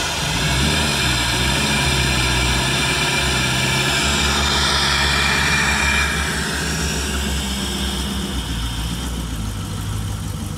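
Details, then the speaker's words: Boat engine after resoldering a broken capacitor wire on the GT-40 computer board that caused intermittent surging and stalling: fuel pumps prime, engine starts promptly and settles into a steady, even idle. "so put the key in fuel pumps do prime and it will start"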